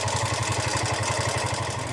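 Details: Yamaha Mio i125 scooter: steady even low putter at roughly twelve beats a second with no knocks or rattles; smooth, healthy idle.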